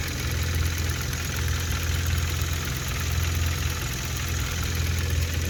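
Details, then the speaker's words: Fully warmed-up 2016 Hyundai Veloster DCT Turbo GDI engine, CRC intake valve and turbo top-end cleaning; steady idle with a firm low thrum and the usual direct-injection ticking, coolant level correct, sounds fairly normal. "sounds fairly normal coolant's where it's supposed to be"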